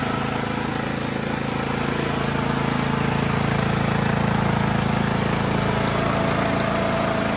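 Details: Poulan Pro PP175G42 riding mower that sat outside for years, key-started on battery cables, no milky oil: the single-cylinder engine catches on the key and settles into a steady, even idle with a smooth, regular beat. It runs healthy, though the breather hose is disconnected.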